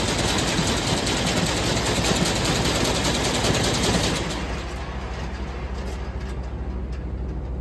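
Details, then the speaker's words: Combine header running after replacing the broken knife head with a new knife, test run to check assembly; fast even cutter-bar chatter easing down smoothly, no knocks or clunks; working fine. "looks like it's working fine get going the next one"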